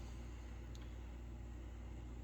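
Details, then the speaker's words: MSR Whisperlite International stove lighting, using its stock pump, valve still closed: steady low roar with faint sputter as priming flame heats generator tube and leftover fuel vaporizes; normal. "But you hear that noise? That's starting to vaporize the fuel that's left in that right there."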